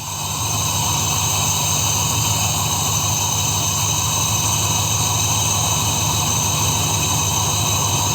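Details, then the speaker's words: 2002 Dodge Ram after engine washing let water into the coil area, check engine light flashing, blowing sound at exhaust: uneven, loping idle with a steady high whine; unplugging the first two coils changed nothing, so those two cylinders are dead and misfiring. "Con las primeras dos bobinas no se produjo un cambio, entonces esos dos cilindros no están funcionando."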